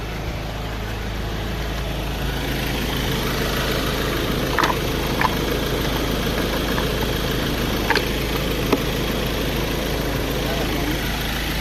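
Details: 2015 Ford Ranger after a no-crank no-start, relay contacts cleaned: engine settles into a steady, even low idle with a few light clicks; healthy, running fine.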